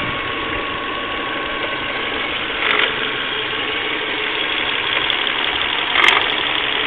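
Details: Volvo V40 1.6, engine warmed up by driving, idling: a busy raspy clatter up top with a couple of sharp clicks. Odd engine noise when warm, cause not clear.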